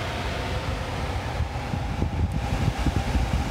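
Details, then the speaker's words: 2008 Vauxhall Corsa D petrol heater blower motor, intermittent fan with speed varying and bogging on manual control, working after a tap: low uneven rumble and scratchy flutter instead of smooth whirr; worn blower motor armature. "sounds a bit rough when I was driving it back here the speed of the fan would vary during the journey on its own even though it's manual controls that the motor would bog down every now and again"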